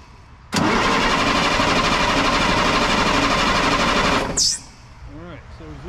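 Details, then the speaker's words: 1998 International 4700 DT466e diesel: starter cranks at an even fast rhythm about four seconds but never fires; fuel pressure gauge reads zero while oil pressure shows, after replacing and priming the fuel water separator; crank no start, no fuel pressure. "all right so we're gonna crank it but i'm gonna hold this over there and show you the pressure gauge down there if you can see it i want to be able to see it as well and as you can see look at that zero pressure"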